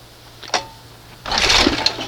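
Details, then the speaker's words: 1971 Johnson 20 hp two-stroke outboard, hard to start, choke held closed: two rough rope pulls, each a short rasping burst with no firing; owner judges it flooded with fuel from the feel of the pull. "Full of fuel. Now, it needs to go that way. I can tell you right now she's juiced up."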